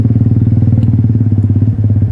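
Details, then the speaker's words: 1974 Triumph Bonneville T140V 750cc twin on a ride: heavy low thudding at about ten beats a second with nothing on the off beats. Running on one cylinder with a dead spark plug, which was later cleaned and replaced. "ini businya mati 1 nih guys"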